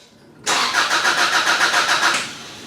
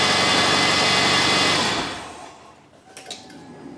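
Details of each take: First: 2002 Subaru Outback that died while driving, crank no start: starter cranks at a steady quick rhythm for under two seconds and never catches; wiring and fuel pump relay test okay, so owner suspects a faulty fuel pump. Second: 2002 Subaru Outback after fuel pump replacement: quiet pause, then the engine catches at once and settles into an even, steady idle with no stumble. It had stranded the owner; a faulty fuel pump was the cause, now fixed.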